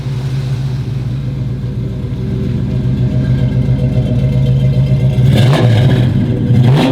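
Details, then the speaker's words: 1969 Camaro V8 with headers, heard from the rear, given a little gas: deep, even burble climbing cleanly with two quick throttle blips, smooth steady firing; normal revving, healthy engine and exhaust. "I'm gonna go ahead and give it a little gas, a little acceleration. You guys can hear it in the back."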